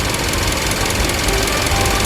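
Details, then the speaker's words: 2-year-old Hyundai Grandeur HG, noise starting after about 5,000 km: fast hard metallic tapping over the running engine throughout; abnormal engine ticking, cause undetermined. "딱딱딱 거리면서 금속성으로 이렇게 왜 돌아가는 소리들. 쇠가 좀 덜 깎인 소리라고 해야 되나요?"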